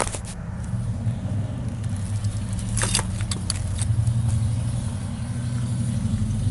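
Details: Police-package (P71) Crown Victoria, rear end: low rolling rumble with scattered sharp pops and scrape as car creeps, hard to move; metal shavings near right rear wheel; axle shaft shaved down inside housing and broken, replaced with used rear end.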